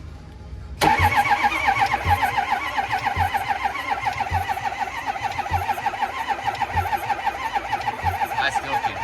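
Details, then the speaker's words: Ford 6.0 Powerstroke diesel extended-cab truck, no start: batteries too dead, starter cranks slowly and evenly about three and a half turns a second for ten seconds without firing; unclear whether cranking builds enough oil pressure (ICP); cause not confirmed. "oh my God it's way too dead still too dead I can't even tell if that was enough to pump or not"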